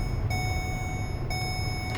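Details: 2015 Ford Expedition 4x4, about 79,000 miles, engine running, in-cabin: clear high double-pitched chirp repeating about once a second over low cabin rumble; the unfastened seat belt reminder.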